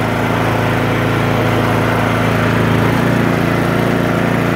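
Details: 2017 Troy-Bilt Storm 2410 two-stage snowblower, single-cylinder engine started on choke after priming: catches and settles into a steady, even drone with no misses or knocks; normal running.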